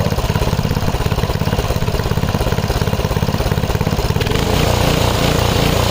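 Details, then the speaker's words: 5 HP Briggs & Stratton engine on an MTD rototiller after a quick carb cleaning; before this it wouldn't run. It runs with quick, slightly uneven beats and the note changes partway through; cause unclear. "It's a lot better now than it was cuz it wouldn't even run."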